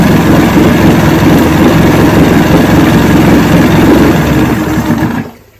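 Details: 1970 Evinrude 85hp outboard with hydro-electric shift, 50 years old, fresh water pump impeller, started on key with choke: busy, even two-stroke burble at a fast idle, steady rhythm without misses or knocks until shut off; runs healthy.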